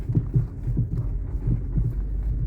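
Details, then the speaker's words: 2004 Mercedes E500 4Matic wagon, front end: dull low clunks in quick bursts over speed bumps taken at an angle, loudest on channel five; worn sway bar link ball joint. "So, after some driving over speed bumps, channel five has by far the loudest knocking."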